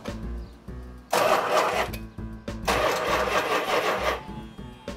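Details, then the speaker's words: 1972 Dodge Charger Rallye during first start attempts: repeated cranking bursts briefly catch and roar, then falter and won't idle; hard start due to distributor and spark plug wires off the firing order. "of course in retrospect again the fact that it didn't want to start right up because of the distributor and because of the spark plug orientation we had the firing order off"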